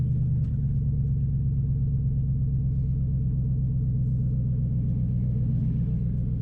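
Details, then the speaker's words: 2005 Nissan Titan V8 after Walbro fuel pump rebuild and new starter, muffler removed: steady deep humming idle, even rhythm, no knocks or stumbles; seemingly running better than before. "so all right seems like it's running real good even better than before hopefully i mean surely with all these new parts i've installed it better run better but should be good"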